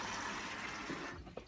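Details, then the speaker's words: Hoover Optima 7kg OPHS712DF washing machine on a 60-degree wash, filling with cold water for its second rinse at 33 minutes left: steady hiss of water rushing into the drum, no knocks or grinding; normal rinse fill. "so it's filling for its second rinse now when it's gone down to 33 minutes that's cold"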